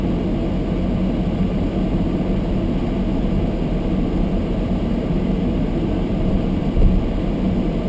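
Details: Almost-new Toyota Prius hybrid, sub-zero cold, fogged windows: heater fan turned up high blowing on windscreen, steady deep rushing roar holding level; close camera exaggerates it; nothing faulty.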